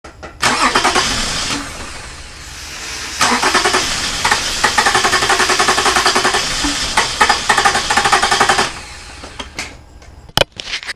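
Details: Early 2006 Toyota Camry with 3.5 2GR-FE engine, has spark and some gas; starter spins evenly at three or four compressions a second for several seconds, never fires: crank no-start traced to a weak fuel pump.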